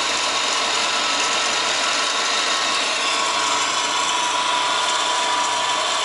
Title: WRX GDB strange noise (Solved- Bad A/C Idler Pulley)